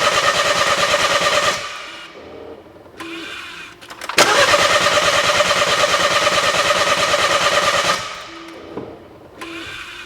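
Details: 2012 BMW 1 Series, crank no start, not fixed by a dealership or an independent shop: the starter spins the engine at about three turns a second in two bursts without catching.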